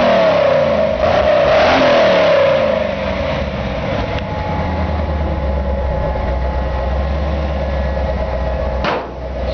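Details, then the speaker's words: 1956 Chevy short bed rat rod truck; deep rumble rises with a throttle blip then drops to a smooth even lope, no rattles or misfires, purrs; normal exhaust note. "you can just hear this thing purrs like a kitten looks really cool it's got a really cool aggressive look to it"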